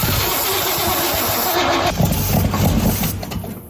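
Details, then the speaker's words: Squarebody GMC truck, non-runner restarted with starting fluid, timing still off, exhaust apparently straight-piped: very loud, ragged, uneven, unmuffled blatty running; cause suspected, not confirmed. "what is that noise I think we've got a really bad exhaust it's more than bad"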